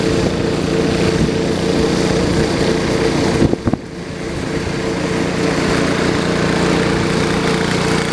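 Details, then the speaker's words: 1973 112 tractor after new points, coil, condenser and points readjustment: steady single-cylinder putter with a brief dip that recovers; fires evenly, normal smooth idle. "you know to be 100% honest with you I thought that tractor would never run again after I pulled that apart that's amazing"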